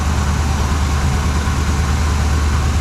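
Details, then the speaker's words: 1979 Chevrolet Suburban V8 with new dual exhaust, idling outside: a deep, uneven idle with a loping stumble shows one cylinder misfiring; a temperature gun finds cylinder number seven about 100–150 degrees cooler than the rest. "so well I got her outside definitely sounds like it could be missing these cylinders so I got the temp gun we'll just check out some temps"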